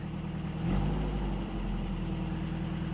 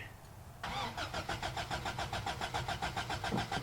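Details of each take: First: Toyota pickup 22RE 4-cylinder after knock sensor replacement: brief blip, then smooth steady low idle with no knocking or stumbling; normal idle. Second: Toyota pickup 22RE 4-cylinder, 5-speed, freshly bought, battery fitted: steady even starter cranking about three and a half turns per second for five seconds, no firing; crank no start, owner suspects fuel pump not running.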